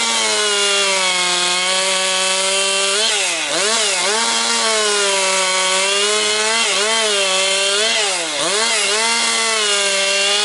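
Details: Husqvarna 262XP two-stroke chainsaw after rebuild, breaking in with compression up: high, steady scream dips briefly as the chain loads in low-grade pine and recovers fast. Running strong and healthy.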